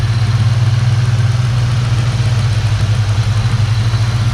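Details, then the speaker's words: SVT Terminator Mustang Cobra V8 after replacing the bearings in all three idler pulleys to cure a squeal: steady, even, super quiet idle with no squeal or whine from the belt area; normal. "super quiet super quiet love it"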